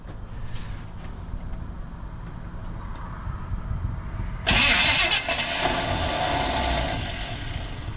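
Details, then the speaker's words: 1980 Chevy K20 4x4 with freshly rebuilt QuadraJet carburetor and new fuel filters, first start after filling the bowl: slow uneven cranking about four seconds, then catches, roars and runs rough; fuel sputtering out the vent, possibly flooded. "Wait till that starter stops spinning and try it again. Keep going. Keep going. Keep going. Keep going. She's sputtering out the vent. I might have flooded it."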